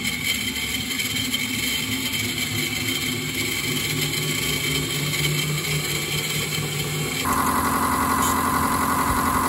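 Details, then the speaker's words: Miele Professional WS5073 washing machine after replacing the 6202zz motor bearings on its brushless motor: a steady, even motor hum through the spin with no rumble, grinding or knocking; the bearings run quiet and smooth. "it's definitely working and I'm definitely really pleased with that I'm quite quite happy with that"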